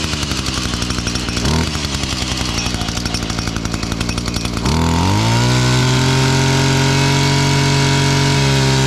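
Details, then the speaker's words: Older Echo SRM-230 two-stroke trimmer after a new carb and cleanup: rough pulsing at first, then it catches and runs at a steady, even high pitch. Running cleanly and started easily, though the primer bulb barely fills. "There you go. That thing fired up."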